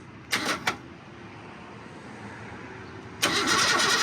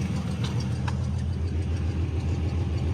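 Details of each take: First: Car that sat almost 20 years, engine not locked and turning by the fan, battery hooked up, no throttle linkage yet, starter in poor shape. Two short bumps, then a sluggish crank of about three compression pulses a second with compression but no catch; weak starter. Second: Car revived after sitting about 17 years, running without radiator on squirted fuel, 40-42 psi oil pressure: low steady idle, even rhythm, no knocks or misses; normal idle.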